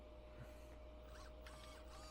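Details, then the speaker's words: Arrma Outcast EXB 8s replacement steering servo, bench tested off the truck on batteries and ESC, makes short whirring sweeps and a faint steady tone moving freely; working, confirming the original Spektrum S6510 servo was dead. "And we got servo moving. So 100% it's that servo."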